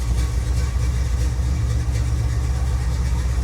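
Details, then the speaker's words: 1977 Chevrolet Monte Carlo, off the road for decades, with a distributor problem and loud starter: deep even idle rumble with no misses or hunting; runs wrong only on throttle when vacuum advance should engage. Normal idle. "yeah it sounds good at idle but uh want you I don't know if you can hear that but it's um it doesn't sound right once you start giving it gas and the vacuum advance is supposed to kick in"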